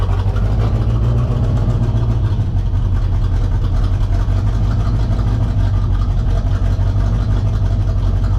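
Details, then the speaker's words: V8 Corvette just after a Hypertech ECM chip install, first start: a loud, uneven low rumble with lumpy, unsteady firing. It runs very rough because a component was forgotten and left disconnected after the install. "it was just running like complete [ __ ] and that's because i forgot the [ __ ] was out of the game"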